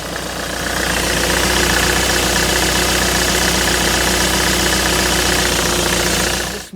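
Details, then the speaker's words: 2010 Ford Transit diesel, after fitting a new multi-V belt and pulley wheels to cure a months-long squeal, in neutral: an even idle clatter of three or four ticks a second with no squeal. Normal idle; repair successful. "so this squeals like mad when you start it up well it did oh hello how are you doing all right neutrals Buzz be a good idea nothing there you go solved right that's one job done lovely"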